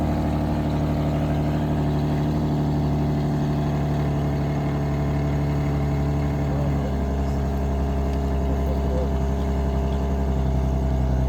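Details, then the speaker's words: 2009 Infiniti G37x, possible muffler delete, cold start: steady, deep idle with a smooth even drone and no metallic buzz over the exhaust; the nasty rattle it had before is gone, a normal cold idle. "it definitely doesn't have that nasty rattle it did before um but yeah guys hope you enjoy and here's the clip the next clip is going to be the clip of the cold start"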